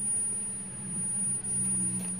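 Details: Polytron U Slim TV that won't power on: a thin, steady high-pitched whine over a low mains hum while the set stays dead. A power fault of unknown cause.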